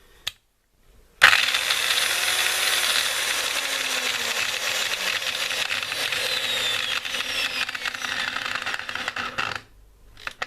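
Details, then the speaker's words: Makita M0921 angle grinder (red Makita, made in China) with a gearbox noise complaint runs with a harsh gritty whine, then clatters in uneven clicks while coasting down; bevel gear pair missing several teeth, others worn smooth, bearing also noisy. "вот тут вот не хватает приличное количество зубиков вот тут не хватает тут целые тут он зализанные да вот вами посторонний шум и подшипник такой подавляющий"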